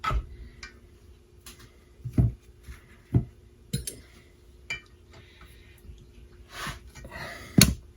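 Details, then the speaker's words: 1972 Evinrude 9.5 HP outboard lower unit: spinning the prop by hand in neutral gives irregular metallic clanks and clatters in bursts, something loose knocking inside the gearcase; it won't shift out of neutral, shift rod suspected, gearcase to be taken apart. "I can spin the I can bend the prop here to neutral but I hear some clanging I don't know if you can hear that but I hear some clanging going on"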